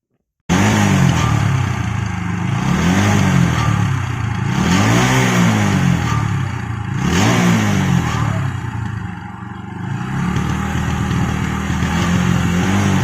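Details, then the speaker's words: TVS Apache RTR 160 4V at about 14,000 km, revved in repeated pulls: tinny metallic "chhan chhan" rattle over the exhaust note whenever accelerating, present for many days; exhaust later replaced free under warranty. "Exhaust में काफी दिनों से एक अजीब सी sound आ रही थी जब भी एक्सेलरेट जो कर रहा था मैं, और उस टाइम पे जो एक साउंड अजीब सी बीच में से छन छन की आवाज जो आ रही थी,"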